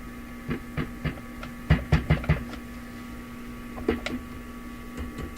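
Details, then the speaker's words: Addison 5-tube radio after earlier maintenance: a steady, very low mellow hum that doesn't change with volume, plus a second hum introduced at higher volume, the one being chased; scattered handling clicks; persistent hum, source not yet found. "When I turn the volume up, that hum doesn't change. What happens is another hum is introduced. This is the one I was chasing."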